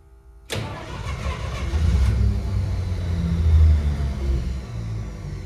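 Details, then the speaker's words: 1953 Pontiac Chieftain, cold start in freezing temperatures with repeated cranking: it fires and catches, then runs lumpy and uneven with sagging revs. It won't stay running yet. "baby she just won't stay running she's right there"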